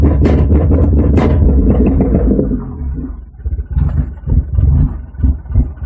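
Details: 1991 Acura Integra LS 1.8L petrol, 340,000 miles on the original engine, idling roughly with an uneven, low stumbling pulse about three times a second; cause unknown.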